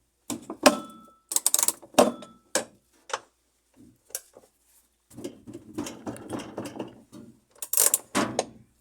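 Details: Consul 10 kg washing machine that stopped working, base disassembled: irregular bursts of harsh scraping and ratcheting clunks while agitating, from a jammed clutch/brake assembly.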